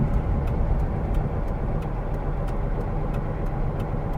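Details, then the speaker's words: Porsche 912 after Bosch distributor vacuum advance work, timing possibly slightly off with stutter pulling away at low speed: even low engine drone while driving with light regular tick about three per second; normal running. "think it sounds good the fact that it fired up as well"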